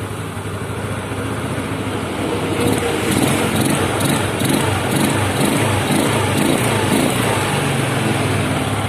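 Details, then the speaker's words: Yamaha Mio Sporty scooter carburetor at idle: unstable idle that coughs, hiccups and small backfires near the vacuum area, intermittent, then stalls or revs up on its own; caused by worn needle jet and vacuum needle. "saya mengalami Mio Sporty batuk-batuk atau cegukan atau nembak-nembak kecil di daerah sini di daerah vakum nah seperti itu ya teman-teman ini kadang ada kadang tidak kadang ada kadang tidak"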